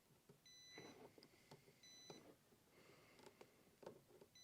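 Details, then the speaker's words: 2019 Polaris Sportsman XP 1000 fuse box checked with multimeter on continuity sound setting while chasing overheating: three clean steady high beeps amid probe clicks; continuity, fuse good. "I have this set on sound, so if we make connection, you know the fuse is good."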